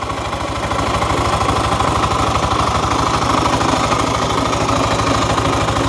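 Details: 12-year-old Yamaha fuel-injected scooter (2nd-gen Cygnus X) at idle: fast even tapping about three beats per second; abnormal mechanical knock, seemingly from the rear, drivetrain or engine not yet pinned.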